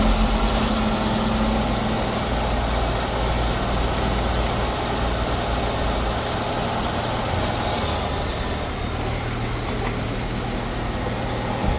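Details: 2012/2013 Nissan Altima that had stalled and would crank but not start, now idling after a blown fuse was replaced and a short traced: steady, even low idle with no misses or ticking, runs normally.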